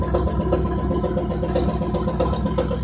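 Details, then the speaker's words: Abandoned 1957 GMC truck running after its first start in 40 years and an oil pump fix. It holds a steady, even idle with a soft regular pulse a bit over two per second and no knocks or misses, being left to run 10–15 minutes. Normal idle. "but uh yeah it's working the engine's running i'm gonna let it run for another 10-15 minutes"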